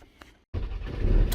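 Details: 2007 Ford Transit diesel, new belt just fitted, customer had said it sounded ready to explode: short crank, catches at once and settles to a steady low rumble with no knocking or clatter; healthy start.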